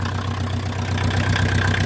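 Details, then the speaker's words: VW Mk2 Golf 1.6 diesel, just refitted, idling not fully warm without choke: loud, clattery idle with a hollow, breathy roar on top, louder because a tube going down from the engine is missing; owner will fit a new one. "I do need to get a new tube that goes down there. It is a bit noisy without it, so I will get a new one."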